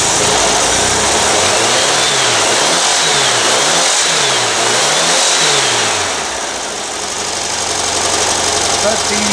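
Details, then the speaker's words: Used air-cooled VW engine on a stand, very cold start in cold, humid weather after 8 years sitting: loud clattery idle hunting up and down about once a second, no smoke; intake manifold iced up, carburetor faulty, heat risers possibly plugged. "yeah this uh intake manifold here is completely iced up so uh definitely that carb isn't quite right"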